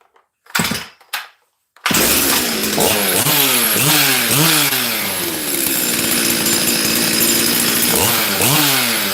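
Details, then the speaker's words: Chainsaw restarted after its fuel cap was cracked and refitted: revs surge high and thin briefly, then sag and burble unevenly; mixture swinging lean, then very rich. "did you hear that it was lean for a second and then it got really really rich"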